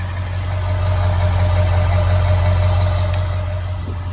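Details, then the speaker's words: 2001 Ford Excursion XLT 7.3L Powerstroke diesel, 296k miles, stock, new injectors and fuel pump, heard at the exhaust with no smoke: deep, steady low rumble with an even beat, no misses or knocks; normal diesel idle. "Sounds fantastic."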